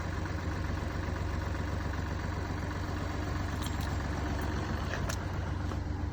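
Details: Mini Cooper D three-cylinder diesel at idle: fast, fairly even low rattle under the running note; mechanic diagnosed broken, worn dual mass flywheel, which carries clutch springs on this engine; owner also reports hissing and juddering after clutch lift.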